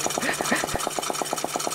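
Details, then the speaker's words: New homemade Stirling engine on its first run, bench-mounted: fast, even thumping about nine beats a second with the frame rattling each beat, wobbling the whole bench; builder thinks the flywheel needs a counterbalance or a stronger brace. Unbalanced flywheel vibration. "I probably need a counter balance on the um my wheel there but yeah it's really wobbling it's wobbling the whole bench"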